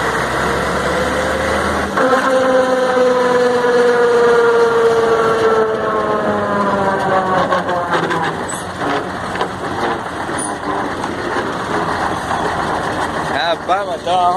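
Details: Mercedes-Benz 1634 diesel truck, noise only when lifting off the accelerator in gear after gearbox, differential and engine were overhauled: loud whine falling in pitch on overrun; appears to come from the differential.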